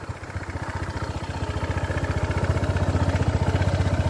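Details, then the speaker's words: 2022 Honda PCX 160cc scooter after 8 months of use, idling as revs build: small single thumps about four a second, slightly coarse but even; the owner says this rough sound is normal for the 160cc. "suaranya ini emang agak kasar yang 160cc Ya enggak tahu kalau yang 150 yang sebelumnya atau punya versi Thailand saya enggak tahu"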